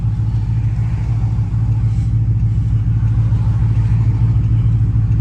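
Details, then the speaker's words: Dodge Charger SRT8 392 V8 after an exhaust leak hole was patched at a muffler shop: deep, even rumble building smoothly under throttle on a pull, with no puffing or ticking from the exhaust; the leak noise is gone. "I don't hear that ugly ass exhaust right here no more, gang, and I'm happy, bro."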